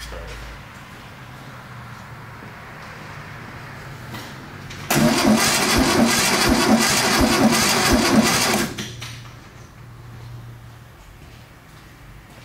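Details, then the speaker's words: 1972 VW-based Arizona trike, long parked: starter churns evenly about four seconds, no fire; test light stayed solid instead of flashing, condenser found burnt and probably grounded out, so no spark; to be replaced. "it stayed solid did it yeah that's not good it should flash because probably a bad condenser"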